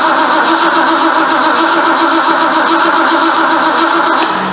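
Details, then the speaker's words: 1973 Ford Mustang Mach 1, 351 Cleveland, reassembled after months; starter cranks evenly about 220 beats a minute with sprayed fuel, never fires. Owner suspects no voltage to coil; unconfirmed. "We don't have any fire. Let me see if I got voltage to the coil."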